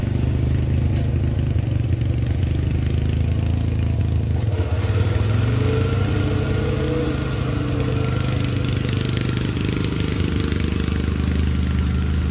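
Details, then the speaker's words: 30-year-old Murray riding mower, 13.5 hp Briggs & Stratton OHV, after fix for popping and backfiring, under load while driving: steady deep single-cylinder thrum, no pops or bangs; running normally, slight backfire remains at low idle. "i just wanted to stop popping and backfiring that sounds much better let's just take it for a ride let's see what happens"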